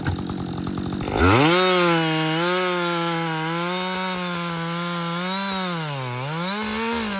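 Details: Husqvarna 562XP 60cc chainsaw, reflashed by the shop after dying when hot, not starting and stumbling, bucking dead windfall about two-thirds into a tank: revs crisp and clean, steady strong pitch, bogs slightly in the cut and recovers; running well.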